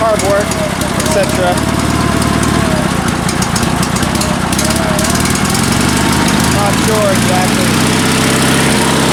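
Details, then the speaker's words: Sears Suburban SS16 garden tractor, twin-cylinder engine back on two cylinders after repair with rebuilt exhaust ports (previously ran on one): even, loping Harley-like beat at steady idle, no misses or shaking. "I'll show you guys how it runs it sounds great it almost sounds like a Harley"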